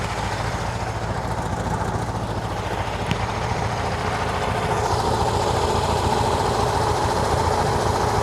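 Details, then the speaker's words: 1968 VW Type 3 air-cooled flat-four with dual 34 carbs, timing about 10 degrees at rest: steady, even idle with faint valve tick over soft exhaust burble even with valves adjusted; quiet, normal idle. "Yeah, I like to hear just a little bit of the valve noise, even when adjusted properly. This car's so quiet."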